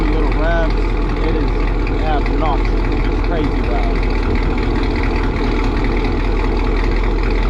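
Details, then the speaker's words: Warming idle on a 2018 Chevrolet Camaro ZL1 (LT4 supercharged) with long-tube headers, in for a header gasket exhaust leak: a loud, deep V8 burble with no ticking. Normal idle. "yeah that's the sound at idle we let it warm up a little bit give it a few"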